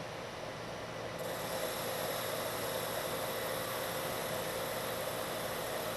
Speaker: this time you don't hear the chatter and if i stop the machine you can see i have a much better surface finish